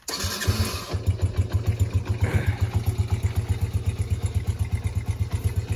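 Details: Small dirt bike/quad engine, said to have been fixed up: cranks, catches within a second, settles into an even thumping idle of about four beats a second with no misfires; normal idle.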